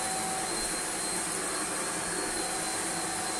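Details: Shark vacuum from a free joblot, filter not burnt-smelling but unit not very clean, switched on and settings changed: steady high motor whine with constant airflow rush, no surging or grinding; works very well though seems to spit bits out.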